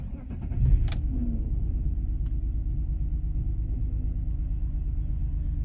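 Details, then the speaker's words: Engine with misfire code P0303 on cylinder 3 restarted after clearing the fault: starter catch, then low uneven lumpy idle that never smooths; misfire returns, now on cylinders 3 and 6. "give it a minute. It still doesn't seem very happy."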